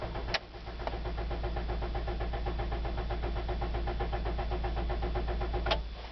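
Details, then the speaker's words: 2009 Toyota Corolla S manual, clutch in, neutral, at -11° on 13th crank attempt: starter churns steadily about four beats a second with faint hum, never catches; recurring winter cold crank no-start. "this is the 13th time I crank over the car clutches in car is in neutral turn the key I hear a humming noise"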